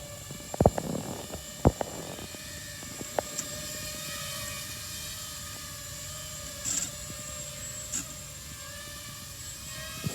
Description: Hello, if you look on the video, my drone do some noises and weird movements, if someone can help me to fix it i really appreciate.